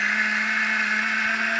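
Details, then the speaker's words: Gerui GR-12-005 electric cigarette-rolling machine fed with moist, long-cut tobacco instead of dry short-cut: steady, fairly loud motor whine at one pitch with a buzzy edge; motor straining on unsuitable tobacco. "Le tabac est pas très approprié. Ce tabac là est pas idéal. Voyez, vous entendez le moteur qui force."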